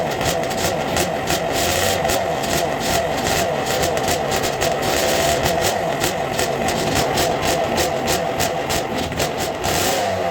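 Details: 2000 Honda CR125 two-stroke, first start after top end and carb rebuild, on fuel syringed into the carburetor: crisp, even crackle holding a steady fast beat with no knocks or misses; healthy first start.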